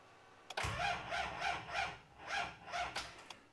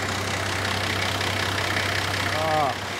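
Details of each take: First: TD42 GQ Patrol diesel, cold at 13°, sat over a week, hard cold starting: slow laboured cranking in uneven surges, never catches; flat battery dragging the starter, later swapped for a new battery. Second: Nissan GQ Patrol TD42 diesel, previously hard to start when cold, after cleaning corroded battery terminals and addressing cylinder 4 glow plug: starts and idles with low, even clatter, no stumble or misfire; normal diesel idle.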